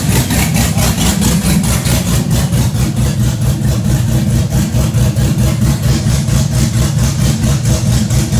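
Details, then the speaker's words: Chevrolet Blazer V8 build, big cam, before exhaust fitted: deep loping idle pulsing about one and a half times a second, steady rhythmic choppiness; normal cam lope. "But that noise, you said that it was the cam doing the room, room, room, room. Yeah, that's making it. Yeah. That doesn't sound normal. That's That's normal. what it's supposed to sound."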